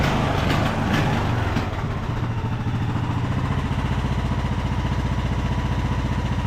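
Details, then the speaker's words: Craftsman YT3000 riding mower, abandoned about 4–5 years, high speed with parking brake set; after outside noise, fast thump drifts up and down, governor hunting; surging, owner suspects main jet not clean enough. "well we definitely have some uh some surging going on there well that's a bummer we definitely have some surging going on so probably our main jet on here is not clean enough"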